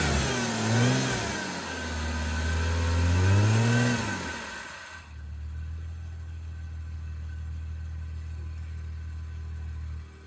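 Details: 1989 Toyota Cressida that sat for years, just started after adding about a gallon of gas: revs smoothly up and down a few times, then settles to a steady even idle, no misfire or knock; brief initial smoke cleared. Normal start and rev.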